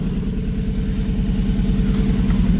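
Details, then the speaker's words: 1986 Toyota pickup, 160,000 miles, manual, brand-new carburetor: fires right up after two pedal pumps and holds a steady, even idle with a deep regular pulse, loud from the exhaust stack right behind the cab. Normal idle. "pump the gas pedal twice and then turn it it fires right up pretty"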